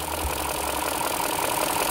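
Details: BMW (E60 M54 or E53 M62 per title) with an intermittent misfire at idle: idle runs unevenly with occasional dropped beats. Injector connectors are loose or unplugged, suspected on cylinders 7 and 8, and the plugs lose contact.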